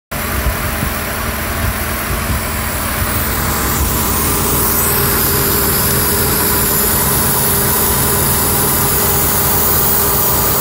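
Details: 3rd-gen Ford Taurus 3.0 Duratec 24v at idle: constant airy hiss over the engine note from a large vacuum leak at a collapsed, clogged 90-degree PCV elbow hose under the throttle body; replacing the hose fixed it.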